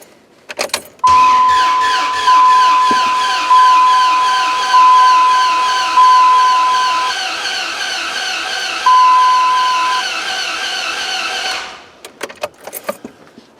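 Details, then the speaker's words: Dodge Ram 1500 with a swapped 4.7 HO Jeep engine, after 20 minutes of battery charging and cleared codes: steady starter cranking under a repeating door chime, about ten seconds with no firing; cranks but won't start. "turn it off turn it on i got nothing don't sound good either this ain't good i think i got me a dead horse"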